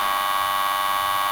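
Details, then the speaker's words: Badger 5 garbage disposal with motor jammed: loud, steady electrical hum with no spin-up or grinding, motor stalled and buzzing; its built-in circuit breaker pops out to stop the jammed motor burning up. "so if something jams in this motor and you have it on and the motor is going to burn burn up it won't because there's a safety device right here this will pop it'll pop out and uh you'll know it"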